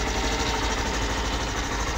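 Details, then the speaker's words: Hero Glamour BS6 XTEC motorcycle, low kilometres, started in gear with battery down and kick-start pinion removed: steady even idle, loud close chatter, no khar-khar rasping; noise was from the kick pinion, engine now normal. "তো এখানে আমরা যেটা দেখলাম, গাড়িতে কিন্তু আর কোনো আওয়াজ নেই। কিকের এই পেনিয়ামটা খুলে নিলাম, তারপরে কিন্তু আওয়াজ নেই।"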